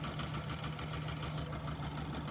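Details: Mitsubishi Colt 120SS engine, previously hard to start with lost ignition current, after checking delco (distributor) cables; manifold vacuum lines found unplugged. Low, even idle with steady rhythm, no misses or stumbles; settles and runs smoothly: normal idle after repair.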